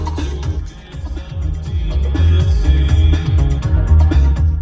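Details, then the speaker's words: Mazda 3 Bose front door speakers after repair with adhesive, music with bass at normal level, balance set to right then left: clean full playback with no buzzing, rattling or breakup; the speakers work properly. "let's hear that right speaker much better let's he the left [Music] speaker really good sounds pretty good"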